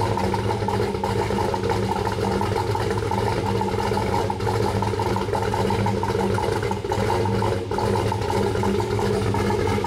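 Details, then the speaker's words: Turbo Trailblazer SS, 5.3L LMF with Texas Speed stage 3 low-lift turbo cam, E85, first start before tuning: deep choppy loping idle about three pulses a second, held steady; cammed engine idling fine. "are very happy with the way that starts up we have some tuning work to do from here"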